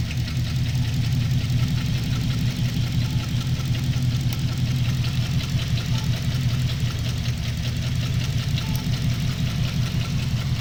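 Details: Holden VE SSV V8 idles with an uneven, stumbling misfire and light ticking after the check engine light came on suddenly on the freeway; a bent pushrod was found on cylinder 7 under the rocker cover.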